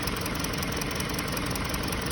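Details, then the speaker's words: 2020 Hyundai Sonata, check engine light on, steady idle rpm: uneven lumpy idle with a regular stumble in the low thump and visible engine shake; scanner reports cylinder 2 misfire. "فالحين شوفوا، شايفين المحرك كيف يهتز؟ واضح الاهتزاز فيه."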